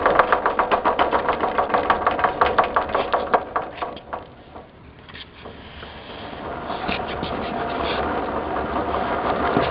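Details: 1958 Wheel Horse tractor with early-style (1958–61) gears, microphone near the transmission: steady light knocking about four per second over a slow engine idle while rolling in reverse, quiet going forward. Worn transmission gear teeth.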